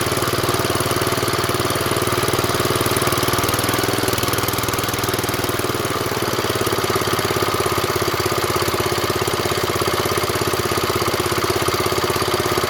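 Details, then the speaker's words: 1970s Wheel Horse C121 8-speed garden tractor with Kohler engine, just started after fuel pump rewiring: steady, fairly even tick-over with slight unevenness remaining; near-normal idle, not fully settled. "satisfying, isn't it? So she's nearly there, isn't she?"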